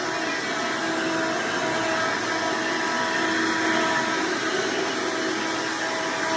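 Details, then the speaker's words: Hoover Decade Soft & Light Elite vacuum owned since May 2024, after greasing motor and brushroll bearings and replacing the 7-bladed fan impeller with a 20-bladed upgrade: steady high-pitched whirring rush, no rattle or scraping; noise mostly reduced but still somewhat loud, normal running. "well here folks it looks like it's reduced most of the noise level for the most part still kind of seems somewhat just a little bit loud"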